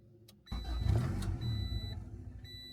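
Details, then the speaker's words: Turbocharged Honda Integra that previously idled smoothly, fuel pump not heard priming; owner suspects bad gas, clogged fuel filter or clogged cat: engine catches, runs rough and low, sags and stalls, won't hold idle. Cause unconfirmed. "And now the car won't start again. Look at that, it just dies."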